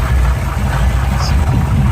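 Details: 1971 Chevy pickup truck for sale, old V8 with points ignition, power steering and power brakes: steady low rumble with an even, unbroken beat, nothing knocking or ticking; runs nice and smooth, though a belt squeals and there's a little exhaust.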